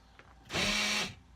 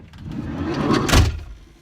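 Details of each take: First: 2003 Ford Windstar SEL power sliding door lock: half-second motor whir with steady buzz but no latching clunk; lock actuator runs without engaging, gears suspected stripped or come apart, unconfirmed. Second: 2003 Ford Windstar SEL power sliding door after replacing the whole lock mechanism: one door thump, then crisp latch clicks from the lock actuator with no grinding: normal power sliding door lock operation.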